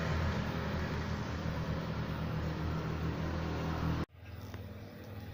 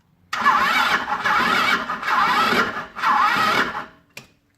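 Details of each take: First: Jialing 125 cc four-stroke scooter, title citing engine knocking and a crankshaft bearing replacement, on a test ride reaching 75–80 km/h: a smooth, even engine drone with no knock in the rhythm. Normal running. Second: Jialing 125–130 cc four-stroke scooter engine, unused outdoors for five years, revved in bursts with a rough rattling knock deep in the crankcase; owner suspects failed crankshaft main bearings.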